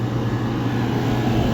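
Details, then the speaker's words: Backup freezer refrigeration compressor started through a new digital phase converter (single-phase to three-phase), freezer already below zero and frosting: steady even low hum, no knocks or surging; compressor running normally. "So, we have the um phase converter over here to bring us from singlephase to three-phase to fire that compressor off and run it."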